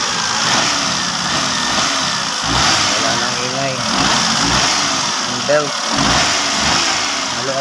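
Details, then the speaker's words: Hyundai engine after adjusting the aircon and alternator belts that were noisy before: smooth idle and blips with no belt squeal or chirp, normal running. "kasi. Kaya maingay dati. Yan. Nadyasan ko na ito. Aircon, saka alternator belt."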